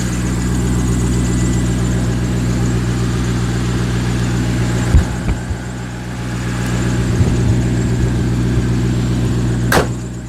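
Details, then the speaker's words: C5 Corvette V8 after valve cover gasket replacement: steady idle with a faint light chirp repeating about three times a second, which the owner attributes to the harmonic balancer; next on the repair list. "hear the chirp from the balancer so that's got to be that's next up on the list"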